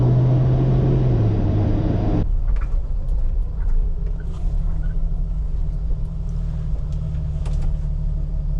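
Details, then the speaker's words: Jeep Wrangler TJ, warm after a 5–8 mile drive, pulling away from an intersection in gear: low uneven rumble with stumbling beats. Engine misfire under load, cause unconfirmed. "See if I can pull out of this intersection without stalling here. Can hear it misfiring right now."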